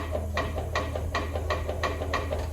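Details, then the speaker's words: 1953 Triumph Thunderbird, engine not yet running: with the clutch pulled, a light rhythmic scraping tick about three a second over a low hum as the clutch touches the primary cover slightly; the cover needs modifying. "it's uh it's touching the cover just a tiny little bit and it makes that noise."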